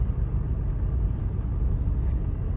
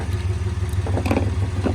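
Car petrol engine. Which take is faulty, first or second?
second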